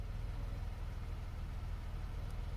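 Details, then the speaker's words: 2009 Chevrolet Impala V6, rebuilt from salvage, idling after a road test to 60 with clean shifts through all 4 gears: quiet, steady, even hum with no tapping or missing; runs like a top, no tune-up needed. "I mean, she runs. I was thinking of tuning it up, but man, it runs like a top."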